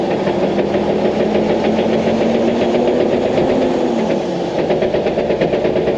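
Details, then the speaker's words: GQ 4x4 crawling with handbrake off: rough whine under the engine with a repeating clatter about twice per second; whine came first, wheel bearing suspected, but the differential had failed and blew; before diff replacement. "But yeah, the clunking's pretty bad. You guys can hear that, but it's bad."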